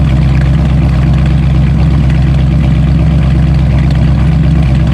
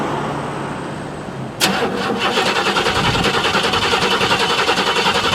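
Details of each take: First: Bluick started after about two months sitting with a slightly low battery: steady, deep, even dual-exhaust burble at cold idle, no knocks or misses, after initial cold shaking and misfiring calmed with a light rev; normal idle. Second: Buick (project car) cold start after sitting about two months, pedal pumped four times, weak battery: catches then runs lumpy and uneven with dropped pulses, shaking and misfiring until revved; cold start misfire, cause not confirmed.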